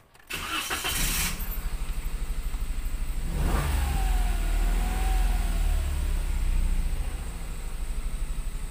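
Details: Toyota Wigo that had a rough, misfiring idle, after the spark plug was replaced: it starts promptly, then holds a fairly steady low drone without obvious misses. This is a healthy idle after the repair.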